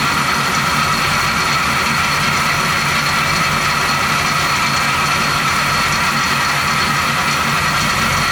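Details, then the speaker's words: 1970 Chevy C10, 350 small-block with recently replaced water pump, at idle: constant high metallic ring and rubbing hiss; rotary noise suspected from water pump, unconfirmed. "it definitely has some kind of rotary noise it definitely sounds like it's time from the water pump"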